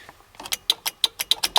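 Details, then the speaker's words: SR20DET-swapped Datsun 510 being rewired with a stripped dash: crisp, fast clicking, about six a second, while the horn button is pressed and no horn sounds; the horn relay works, but only a horn wire is in place with no horn fitted. "I hear the relay clicking. So I have the wire for a horn up here."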